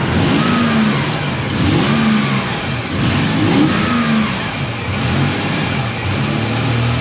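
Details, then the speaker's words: Toyota 4Runner 3.0 V6 after head gaskets, valve adjustment, timing belt and front main seal, distributor moved a tooth: revs up and settles smoothly, all six firing evenly, slightly smoking; normal running. "all right but she runs sounds like it's on all six yeah it's alive only slightly smoking for the time being hopefully that kind of goes away"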